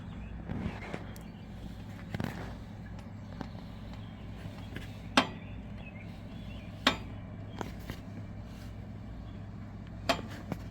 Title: Road Star makes popping noise while rolling back.